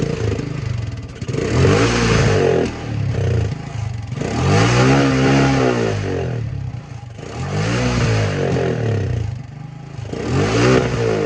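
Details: 1984 Honda ATC 200M three-wheeler barn find, revived after 30 years and parts replacement, needs fine tuning; ridden under load, revs swell and fall repeatedly, smooth pull, no knocks, misfires or rattles, healthy.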